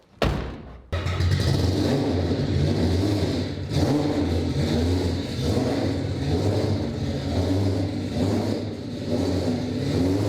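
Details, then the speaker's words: AWD 4-rotor rotary car on the road after earlier breakdown repair, accelerating: deep smooth rotary drone climbing and dropping with throttle, no misfire, rattle or knock; pressure and temperature good, running normally under load. "Pressure, temperature, everything, it feels so solid."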